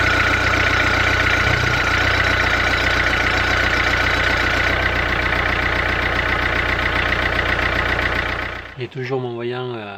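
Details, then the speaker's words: Renault Clio at idle after injector work, injection warning light still on: a regular tapping of about four per second over the engine, then it quiets. Cause unknown; owner considers cleaning injector number 2. "qui est toujours allumée bon niveau puis le bruit toujours présent donc je ne sais pas"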